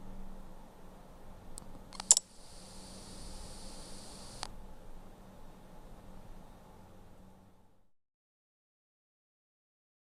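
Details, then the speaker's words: Meizu Lucky08 phone main speaker: faint constant electrical hiss with low buzz, present even at minimum volume in games; reviewer suspects it is there whenever powered. "主扬声器在使用中会有个明显的电流声如果仅仅只是开关时出现一下倒也罢了关键倘若在游戏中音量调至最低这个电流声也始终在响,比较离谱"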